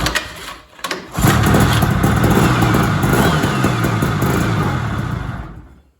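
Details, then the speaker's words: 1970s Sno-Pony snowmobile, JLO 340 twin two-stroke on premix, sat 20-30 years, fuel not pulling from rusty tank: a couple of false starts, then catches with busy crisp two-stroke beat before shutting off; engine sounds good, normal running. "so it does not want to pull gas, but at least it runs and the headlights even work. That's crazy. The engine sounds good."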